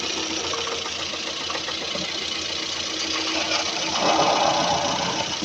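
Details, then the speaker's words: Running engine, sound at top of engine: dull, fairly even knocking about four per second from camshaft end play caused by a worn camshaft thrust cover; fixed by replacing the cover. "о слышите звук да то есть вот он непонятный глухой стук Звук"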